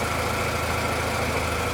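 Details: 1991 Honda CR-X Si idling after replacing the worn alternator that had lots of play; steady even idle, smooth low hum, no knocks, rattles or whine; normal idle after repair.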